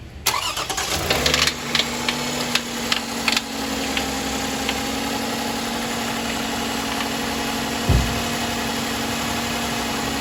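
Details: Toyota 3.5-litre V6: sharp uneven knocking for a couple of seconds from the VVT-i cam sprocket (phaser), then settles to a steady idle.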